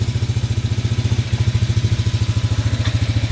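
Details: Canyon 250cc shaft-driven Chinese ATV with choke fully off after fresh transmission and differential gear oil; even regular chuff about three and a half beats a second, no skips or stumbles, clean idle.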